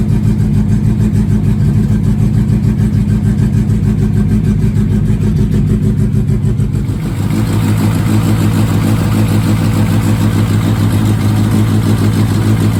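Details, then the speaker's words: 1969 Mini Cooper S 1275 petrol engine with Pertronix ignition, cold after sitting a couple months, on choke: steady even fast idle, about 200 firing pulses a minute, revs easing slightly; healthy, idle probably set a little high. "all right now what do we got we got still coming down a bit probably set a little high before I was reading the 3000 RPM definitely a big difference"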